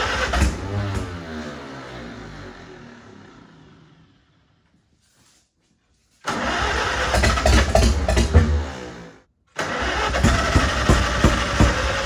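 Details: Farmall H tractor engine started after an attempted fix; starts and runs unevenly with an irregular, lumpy beat and cuts out twice, like a dead cylinder misfiring. Carb not flooded and timing found not out; owner suspects the distributor.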